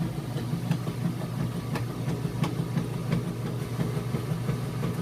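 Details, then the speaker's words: Maytag Centennial heavy-duty super-capacity washer on a warm super load full of jeans, level and balanced: an even back-and-forth agitation hum with soft regular swishes about three a second and no knocking or banging. Normal agitation. "well there goes to agitate so it sounds great what's going on if this guy back-and-forth bringing those clothes down and back up getting them real clean for you"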